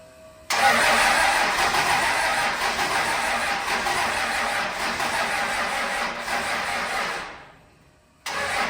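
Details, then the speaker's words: The '41 being brought back to life: the starter grinds for several seconds, fading and slowing, and it never fires. The battery was charged for two days but is still weak, and no fuel is reaching the injectors. "sure dang it stupid battery I charge that battery for two days and it does that to me well I'm sitting up here on this tire watching the injectors looking for fuel and there's nothing nothing coming up yet"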